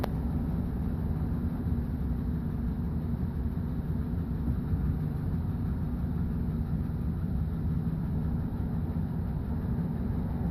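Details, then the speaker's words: 2011 Chevy Silverado 5.3L, 126,000 km, struggles to start after sitting 8 hours at about +12°, valve cover with built-in PCV recently replaced; low uneven idle with shudder and wonky noises, close to stalling, cause unknown: rough idle. "Yeah, she's got quite a shudder and quite a bit of wonky noises going on."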